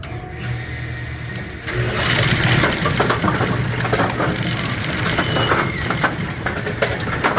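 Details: Brunswick A2 bowling pinsetter (had been stopping at 90 degrees) after filing out a divot: starts and runs through an even clatter of its cycle with no catching or banging; running as it should.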